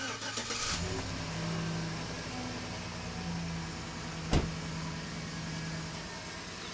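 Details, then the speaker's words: 2012 GMC Sierra after replacing worn tensioner pulley, mic down in engine bay at idle: a thin, steady high-pitched squeak persists over a quiet, even idle; belt squeak still present, cause not yet found. "You can still hear a squeak, so I still have a problem, but it's not that bad."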